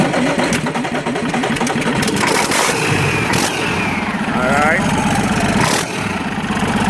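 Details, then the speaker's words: Freshly rebuilt Mack E7 diesel, second assembly, first start slightly cold after priming: settles to an even, steady idle with no knocks or misses under mechanical clatter; smooth and healthy. "right choling nice and smooth engine rolling quiet this is how we do it"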